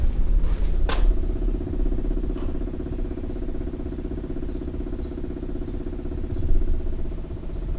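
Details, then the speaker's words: Honda Civic (lifted) in gear after engine reinstall, new XTD clutch, old slave cylinder being replaced: steady low hum with fast pulsing tone about three beats a second over idle; unidentified noise, source unknown. "all right so the car is in gear I don't know what that noise is can y'all hear that"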